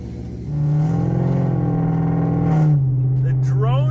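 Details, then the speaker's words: Chevrolet Corvette C7 Stingray with catalytic converters cut off and a broken exhaust hanger, heard in the cabin while driving: loud, deep, steady drone like an old pickup with a massive exhaust leak; straight-piped exhaust. "oh that sounds awful someone just cut the cats off sounded like an old pickup truck with a massive exhaust leak"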